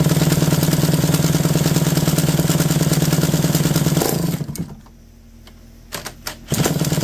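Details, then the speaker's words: McCulloch D44 two-stroke chainsaw, reportedly not run in 15 years and previously a hard, stubborn starter, revived; fires up and holds a steady even buzz, could use a little more revs: normal running. "hey that's nice that's a beautiful sound like a little more revs"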